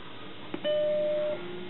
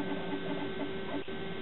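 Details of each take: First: Macintosh SE at power-on: a click, then one clean sustained chime lasting about two-thirds of a second and fading evenly; a normal startup chime, followed by Happy Mac booting from floppy while the hard disk is not recognized. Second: Used Macintosh SE computer just booted from floppy (its hard disk is not recognized): steady, fairly loud whirring hum with a constant low drone from the cooling fan, which is running quite loud.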